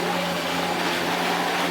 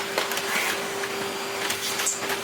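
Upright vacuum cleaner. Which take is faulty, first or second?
first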